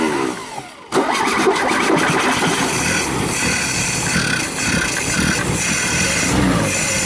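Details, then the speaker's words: Carbureted car engine (CNG kit removed) after carburetor installation and intake manifold coolant passage cleaned: cranks briefly, catches cleanly, settles into steady running with a couple of crisp revs; normal start and rev. "então foi muito bacana a gente ter colocado o carburador ele ter funcionado"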